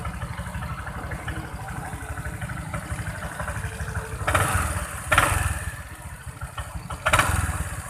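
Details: Vario 125 scooter at idle: three sharp creaking cracks over eight seconds from the belt-drive side, so something in the CVT is creaking.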